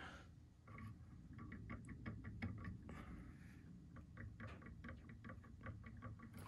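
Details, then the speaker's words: Prusa MK3 printer with original factory tri-bearing bed mount, old bearings: light sharp clicks in quick clusters each time the bed is rocked, from a tiny gap or play; owner suspects worn or old bearings, to be replaced with Misumi bearings. "not sure if you guys can hear the sound it's very very tiny movement it's not a very big movement but you can hear the sound that there is a gap between"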